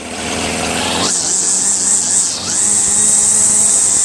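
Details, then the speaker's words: Troy-Bilt TB70SS 33cc two-stroke string trimmer, unused three years, after adding gas-oil mix and adjusting the carburetor high/low mixture screws, on a cold day (about 37°F): snaps from idle to a steady clean scream, responsive and healthy. "You can tell how strong it is too. Very responsive. There's nothing wrong with this."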